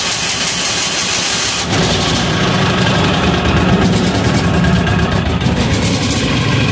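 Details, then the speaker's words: Amazon 186FA single-cylinder diesel trying filtered used synthetic motor oil, with leftover fuel in the line and diesel added: cranks, catches about two seconds in, then runs loud and uneven; rough start from air pockets in the fuel line. "see what happens here little air pocket we've already got some of that nasty oil in the line yeah we got a good old air pocket in the line there"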